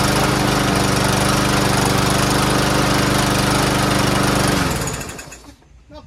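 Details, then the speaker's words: Troy-Bilt TB110 push mower, first start after carburetor cleaned and drilled out: runs loud with uneven surging beat for several seconds then dies off; owner blames bad gas; rough running. "bad not the greatest but it's the ass gas in there got to clear it up you know probably hasn't been running a while let the valve move around a little bit"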